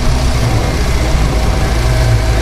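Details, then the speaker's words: 1966 Ford Bronco with hydroboost and a Saginaw pump: a low, uneven grumble under steady idle while the wheel is turned under load, absent on jacks. It seems to come from the column, but the owner suspects the power steering gear, unconfirmed. Power steering grumble when turning. "I mean totally sounds like it's coming from the column but but if really I think the sound is coming up from the power steering gear can't tell for sure"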